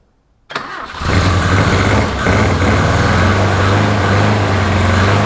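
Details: 1981 Toyota Hilux RN46 4x4 with 18R-C engine, freshly rescued, no radiator fitted, run briefly off a fuel bowl: it cranks, catches and settles into a wavering, lumpy idle; owner guesses ignition timing still slightly out, cause unconfirmed.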